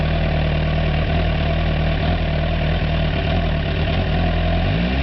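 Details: K7 Suzuki GSX-R1000, about 9k, premium fuel; deep lumpy uneven idle with wavering pitch, misfire at idle and 1-3k rpm; vacuum hoses checked, owner plans spark plugs next; cause unknown.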